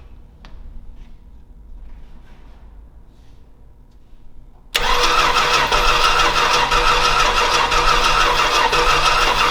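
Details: Old Stewart & Stevenson aircraft tug with a vacuum hose hooked up and plenty of fuel getting through: quiet, then a steady, even starter churn of about three beats a second that never catches; cranking, no start.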